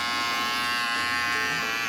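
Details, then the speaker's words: FX hair clipper just fitted with an upgraded Tomb45 motor and battery and the blade reset: strong, even high-pitched buzz with no rattle or speed wobble; the motor runs healthy and steady, still loud. "Wish I would have got a before sound. They go crazy now. They're still loud."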